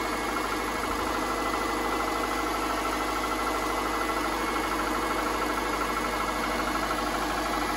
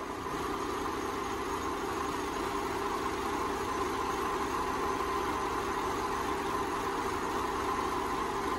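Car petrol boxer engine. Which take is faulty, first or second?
first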